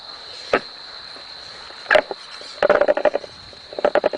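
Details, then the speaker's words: Volvo V50 automatic transmission, torque converter refitted by hand after most of the fluid was drained: short bursts of gritty clicking as it is turned and drops onto its drive, confirming it is seated correctly. "take notice of the sound it should make to make sure that the torque of work is correctly installed in the transmission keep turning it until you heard a grinding sign sound"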